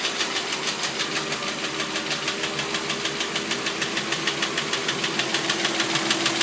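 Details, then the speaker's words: 2005 Audi A6 C6, 2.4 BDW engine, bought with knocking that the previous owner blamed on hydraulic lifters: steady, even internal knock about three per second over smooth idle; source not yet pinned down. "Стучит двигатель. Сегодня задача определить, что это, по возможности починить."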